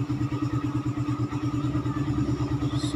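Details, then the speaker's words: Raider 150 single-cylinder motorcycle idling after head refresh, balancer removal and valve clearance set with feeler gauge; starts without hard starting now, regular even putt-putt about three beats a second, no ticking or clatter, runs clean: normal idle. "start so hindi naman gaano ka hard starting Okay na siya"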